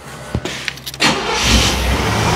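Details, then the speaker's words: 1989 Chevrolet Caprice, 35,000 original miles: brief crank, catches with a rising roar and a rough idle, then sputters and dies unless held on throttle. Owner suspects a worn throttle body-to-intake gasket vacuum leak, tested with brake clean. "and then it'll kind of die and sputter out unless you're kind of on the throttle so as you see it runs and then it dies"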